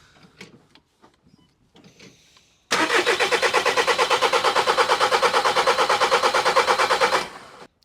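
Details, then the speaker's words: VW Caddy Maxi 1.9 TDI PD diesel cranking evenly near three turns a second for about four and a half seconds without catching after injector seal replacement; air still in the fuel system, in-tank pump purging it; owner notes it used to crank long in mornings. "And that pumps some of the fuel up, some of the air out. But it might need to wang, I don't know, for a couple of seconds."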